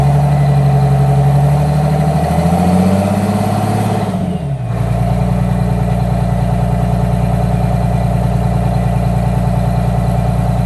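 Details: 1962 GM 4106 bus with a Detroit Diesel 6V92 TA, started after a fresh oil change: catches after a few seconds of cranking and settles into a steady, even, deep idle; healthy diesel.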